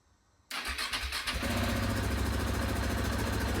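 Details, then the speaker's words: KTM 690 Enduro R single, after rocker arm replacement and a new battery, kicked over in neutral after 7-8 months unstarted, valve clearances not yet checked: catches within a second into a steady, even idle thump. Normal start and idle. "Now, the bike hadn't been started for over, well and truly 7 or 8 months. It seems to be idling okay."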